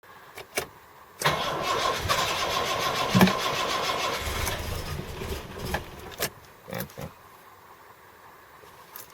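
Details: Series 1 Jaguar XJ6 with no choke, cold night: long ragged cranking and uneven firing that never settles; hard cold start, leans out and dies with too much throttle, cold idle about 485 rpm.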